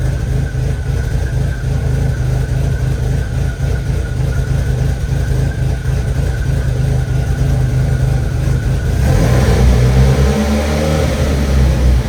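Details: Rebuilt VW 1.8T idling, crank confirmed at top dead center, cam position sensor code present: uneven lumpy idle with stumbling beats, no steady rhythm, running really rough.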